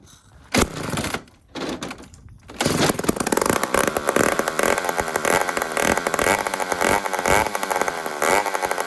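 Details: Old 150 chainsaw made in Toronto, Canada, after carburetor work: catches after a few pulls and runs with a steady, smooth, even buzzing drone; normal healthy running.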